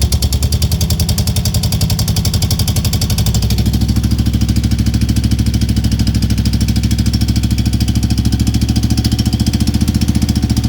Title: Ticking noise Guzzi California EV 2002_1